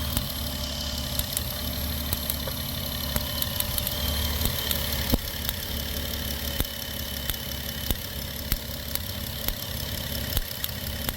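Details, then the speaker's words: 2008 Dodge Grand Caravan at idle: rough running broken by irregular sharp snaps, one or two a second, from a cylinder 1 misfire (code P0301); check engine light now on. "Anyway, so I can actually hear it. Sorry about the chime. I can actually hear the misfire."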